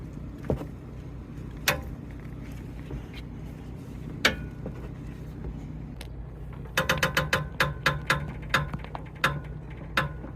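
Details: 2007 Toyota bB Z X-version (QNC21): sharp knocking clunks over a low drone, quickening into a rapid run, from worn stabilizer links; driver side seized solid, passenger side loose; replacement cured the noise.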